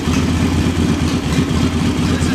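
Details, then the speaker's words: Even, steady single-cylinder idle on JS flatside carburetor after mixture screw set about a quarter turn out and idle speed screw left as is; smooth low beat, normal idle. "speed screw satisfying where it is rev it up and until it's back down to an idle"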